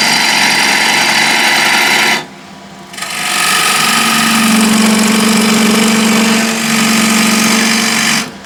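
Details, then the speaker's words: Woodturning an ash cross-grain box. A rough scraping cut with a steady low hum underneath, which is tool chatter from taking too heavy a cut. The fix is to reduce the amount removed, giving a clean cut. "So you hear that humming sound. I'll reduce the amount that I'm taking off."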